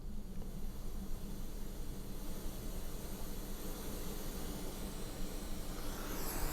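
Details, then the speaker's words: Bose L1 Pro 16 powered speaker fed from a Behringer mixer amp, speaker at about half volume with nothing playing; a steady, loud, even hiss that swamps the mic and makes it unusable: powered speaker hiss. "Do you hear that hiss? I mean, I'm sure you do. That's pretty loud. So, it's unusable."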